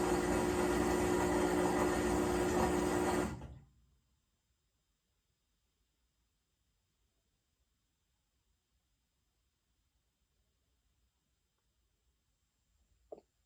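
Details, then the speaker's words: Maytag washer model MVWC565FW2 trying to spin: rough grinding over a low hum, cutting off after three seconds; not reaching full spin speed. Grinding during spin cycle. "doesn't seem to want to spin. It's making a bit of a grinding noise."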